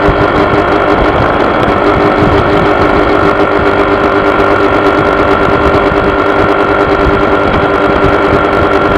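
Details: Honda PCX scooter running with a steady mid-pitched buzz over the even engine note, constant with no speed change; some vibration problem, source unclear.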